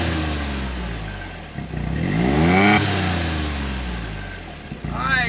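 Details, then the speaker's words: 2016 John Deere Gator 825i after fuel pump replacement: engine fires, revs up and settles back to an even idle with no stumbling or misses, running clean. Normal start and idle; owner thinks the new pump fixed it. "All right, guys. I can't say if it's running like a brand new one because I've never owned a brand new one and this one ain't mine. But I think that got us."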